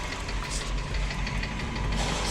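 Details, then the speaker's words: Hyundai Getz with a dull, regular knock under idle that persisted after hydraulic lifter replacement. Heard clearly from the oil pan, not the top; oil pump plunger or connecting rod/piston group suspected, unconfirmed. "сняли защиту тогда слушали звук прямо четко четко идет из поддона не сверху именно отсюда"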